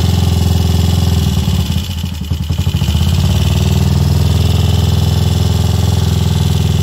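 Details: Royal Enfield Crusader, first start in 27 years (last ridden 1995): steady, even single-cylinder thump at idle with a brief rev blip settling straight back; normal, healthy idle and revving.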